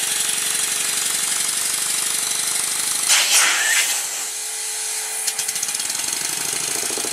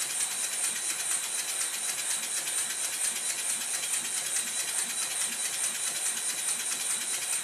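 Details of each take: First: Stuart Score steam engine rebuild, run on compressed air on one side only while dragging the dead side; quick even chuffs about four a second over a constant airy hiss from leaks around the cylinder covers; original covers don't fit, new ones to be made. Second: Rebuilt Stuart model steam engine with a corrected slide valve orientation and proper timing, fed low pressure. Even airy hiss with soft exhaust beats of about 140 a minute and no knocks; running sweetly.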